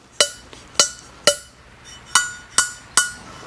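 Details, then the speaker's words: Cheap eBay Pro Comp aluminum cylinder heads (6000 series) after a three-angle valve job: six crisp single ringing taps, each a clean one-shot hit with no tink-tink rocking bounce. The valves slap flat on their seats, seating cleanly. "if you hear you you know that sound of when it just slaps flat shut and it's making contact all the way around in one shot it's not going tin Tink Tin Tin from rocking it's just"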